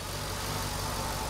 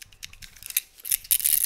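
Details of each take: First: Mercedes SL55 AMG M113K supercharged V8 idling smoothly after replacing the supercharger pulley bearing; steady low hum, previous belt-drive rattle gone, much quieter. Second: Removed supercharger pulley bearing from a Mercedes SL55 AMG M113K, shaken by hand: loose, gritty rattling bursts as the worn balls clatter; failed supercharger pulley bearing, to be replaced.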